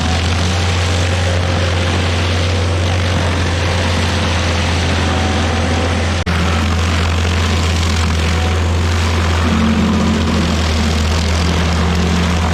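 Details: Stump grinder with rebuilt motor, first job cutting a backyard willow stump: loud, steady, even drone holds speed under load with no misses or knocks; running well. Oil on the heat shield cover later burnt off that day.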